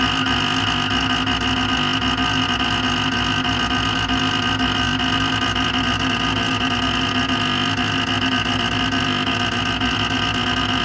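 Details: Creality Ender 5 Pro on first use: loud rough motor buzz with piercing whine as Z axis grinds at end of travel, bed driven to its limit near extruder or bottom via override; homing failed, fixed by manually rotating Z axis.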